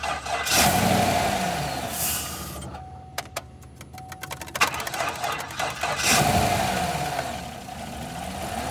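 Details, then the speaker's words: 2015 Chevy Tahoe police package V8 with front passenger-corner collision damage, 76,480 miles, about 5,400 hours: starts and settles into an even idle with a steady low hum, no knocks. The fan kicks on loudly and rubs on something; engine otherwise sounds healthy. "Engine starts. Sounds good. The fan is going crazy up there."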